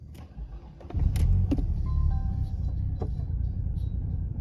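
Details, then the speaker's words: 1993 Mercedes 220CE W124, M111 2.2 engine, before throttle body and coil harness wiring are replaced: uneven, lumpy idle with irregular low thumps and stumbles, three to four a second; rough idle/misfire, cause unclear. "don't know if you can see that but it's really Lumpy [Music] not happy not happy at all"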